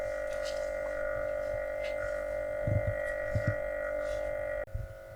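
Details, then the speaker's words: Atlant refrigerator: compressor drones with loud steady mid-pitched hum, then cuts out abruptly; compressor stays cold, system not empty per gauge, yet no cooling at all, temperature doesn't drop; cause unknown. "то есть он как сумел-таки шумит компрессор не греется получается все холодное"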